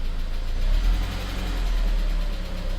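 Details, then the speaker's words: 2003 Saab 9-5 2.0t (Trionic 7) with high oil consumption, idling after an oil refill: faint steady hum riding over the engine rumble, from a failing turbocharger; not how the engine should sound. "This here is a good example of how the Saab engine shouldn't sound"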